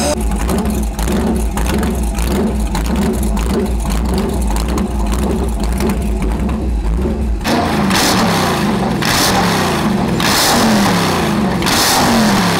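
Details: Chevy LS1 V8 of about 500 HP, ex-Camaro racecar engine in a 1977 Hawaiian jetboat, first run after 10 years in storage at about 100°F: deep burble settling into an uneven, lumpy, stumbling idle; idles on its own but needs tuning.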